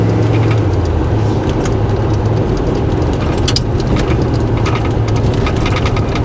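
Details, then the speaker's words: 1990 Chevrolet K1500 4x4, about 63,600 miles, original stock fuel-injected 350 V8, 700R4 overdrive automatic, on test drive: deep steady rumble pulling smoothly under throttle with road and wind noise; accelerates well, healthy. "accelerate good just a stock 350"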